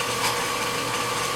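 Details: 30" Covington lapidary slab saw after replacing a pulley melted when a stone caught on the segmented blade, belt slightly worn: steady even hum with no knocks or squeal; saw running normally.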